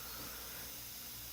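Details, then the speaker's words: Air line feeding an IR 231 impact wrench hisses with a soft, constant, rhythmless hiss while removing wheel lug nuts (7/8 in / 22 mm) on a 2004 Chevy 2500HD 6.0 farm truck; the air line leaks. "Yes, you can probably hear the line is hissing. It does leak,"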